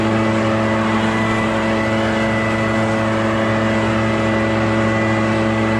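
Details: Echo PB650 two-stroke backpack blower, barn find unused about 5+ years, running on fresh gas while clearing a roof and gutters: high, steady roar at constant pitch, no surging or misfire; runs clean under load.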